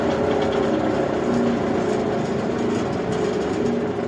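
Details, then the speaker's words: PTO-driven wood chipper after feeder repair and greasing, about 540 RPM: smooth, even drone with steady hum and no knocks or rattles, taking a long time to coast down after PTO is put in neutral; normal running. "pretty good doesn't it takes quite a while to stop"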